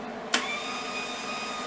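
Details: New Hobart MIG welder on a 30 A breaker via appliance extension cord, first power-up: sharp switch click, then steady fan whir and faint even hum; powers up normally.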